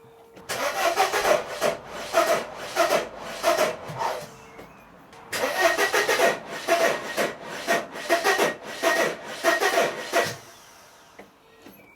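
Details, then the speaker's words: 1994 Mercedes W202 C180 after wiring work: starter cranks in stop-start bursts and the engine never attempts to fire; fuel is present but no spark, and the engine seems to lock at some stage. "I am getting fuel, but there's no spark, there's no smoke coming out of there."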